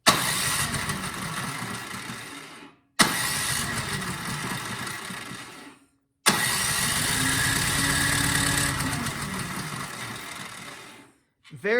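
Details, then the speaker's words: Cub Cadet 528 SWE snowblower that won't start, spark test with the plug held against the valve cover. Three long cranking bursts that never fire; very weak spark. "i don't know if the camera is picking that up but we have very little spark [Applause] i mean there is one but it doesn't seem to be strong"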